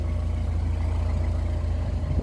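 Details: Narrowboat diesel engine just started after glow plugs warmed about six seconds; deep, even chug at idle with steady low beat, no knocks or misses; idling normally.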